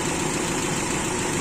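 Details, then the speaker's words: Carbureted engine after FMT carburetor repair, at idle: light, fast sewing-machine-like ticking over the engine hum; owner suspects exhaust valve leakage and plans to open the cylinder head to check, unconfirmed. "Saya mau buka Silinder Kop mau ngecek Apakah ada kebocoran di katup terutama katup buangan menurut saya dan juga suaranya kap mesin jahit"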